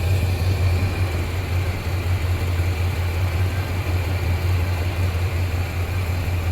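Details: 1987 squarebody Suburban with swapped 454 big-block V8 (SM465/205), new exhaust, engine hot, after reseating a loose plug wire on cheap wires: deep, steady, evenly loping V8 idle, no misfire stumble. Normal idle.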